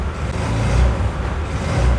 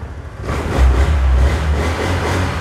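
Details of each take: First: Honda Air Blade 110 fuel-injected scooter, fuel pump pressure already checked: revs swell briefly then sag and stall when throttle opened hard instead of climbing; bogging on throttle traced to clogged fuel injector. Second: Honda Air Blade 110 fuel-injected scooter after faulty fuel injector diagnosed: pulls cleanly from idle to a smooth, even rev with no stumble or flat spot; healthy revving.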